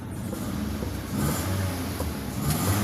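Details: Petrol car idling around 900-1000 rpm, blipped lightly: runs rough with an uneven, stumbling low rumble; misfire from a faulty fuel injector, still present after changing spark plugs and ignition coils.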